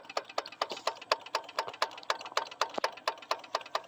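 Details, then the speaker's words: Carbureted vehicle confirmed to need a new starter solenoid and fuel pump, engine off: sharp, light ticks about four per second as the electric fuel pump, triggered manually rather than by the start button, pulses while priming the carburetor. "It's supposed to pump the fuel just by me holding the start button when it's supposed to be when that's unplugged, but I guess it really doesn't matter. But if I do this, I'm actually causing this fuel pump to pump fuel into the carburetor."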